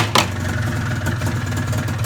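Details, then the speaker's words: Arctic Cat ZR 440 two-stroke snowmobile, first start after rebuild, lukewarm: slow, lumpy, uneven idle close to stalling with air-sucking sound; idle too low despite carb screws turned far in, owner suspects carb. "But again, idling way too low. I notice when I turn that on, all you hear is sucking air."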